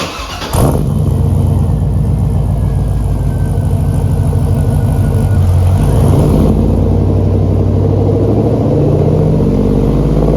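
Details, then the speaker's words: Trailblazer SS V8 being prepped for the track, new exhaust/muffler setup not yet fully welded in: fires up and holds loud revs with harsh, raspy, popping note; owner finds it too raspy and clappy, undecided on the muffler setup. "let me know what you think about that exhaust I am still not sure I didn't think I would have this much trouble deciding on an exhaust or at least a muffler setup for this truck to me it sounds a little bit too raspy a little too clappy"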